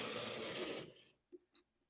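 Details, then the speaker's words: Early HO scale Athearn (likely Globe chassis) Pennsylvania Railroad F7A locomotive, first power test after seeming seized one way: a harsh, gritty motor buzz under a second, then light clicks; runs rough, owner suspects dried lubricant or gunk. "It moves, but it does not sound very good. So, I'm going to guess there's either a bunch of dried lubricant or something else gunking this thing up."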